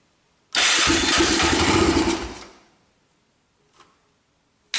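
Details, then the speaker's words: Honda ATV on starting spray, throttle held open: fires, revs briefly, then fades and dies within two seconds. Fuel isn't reaching the carburetor; the rusty tank needs cleaning and the carb probably does too. Fuel starvation, runs only on starting fluid. "It runs. We did it. Hold on. It'll run, baby. We just got to clean that tank up."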